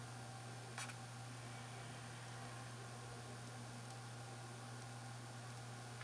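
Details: Yongnuo YN600 LED light fitted with a cheap replacement 40 mm 5 V low-noise fan, heard from about 70 cm: soft, steady low hum with a faint even hiss and no rattle or whine; the fan runs quietly.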